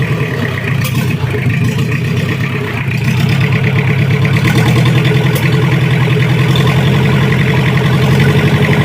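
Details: Toyota Kijang LGX diesel after an engine-down overhaul of the block for oil consumption, injection pump set at standard zero mark, warming up: low, smooth, even diesel rumble at steady idle, no knocks or misses; normal idle.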